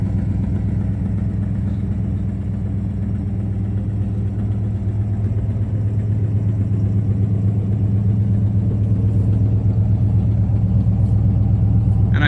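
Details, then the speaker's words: 1970 Pontiac LeMans Sport with 400 V8, four-speed manual and K&N intake, just started cold, burning condensation: deep even idle with light ticking pops in the exhaust; owner suspects exhaust leak at manifold gaskets, unconfirmed. "runs smooth has a bit of an exhaust leak I think I need to replace the manifold gaskets that's where you're getting that popping"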